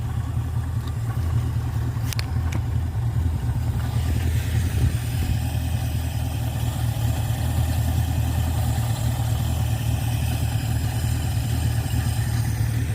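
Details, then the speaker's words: Ford Fairlane V8 with a newly installed Holley two-barrel 500 CFM carburetor (replacing a 350 CFM) and a manual choke, at about 800 rpm: low, smooth, even idle with no misses or stumbles; idling healthy. "Oh, there it is. That's a Holly two barrel 500 CFM. And listen just how smooth that thing is running."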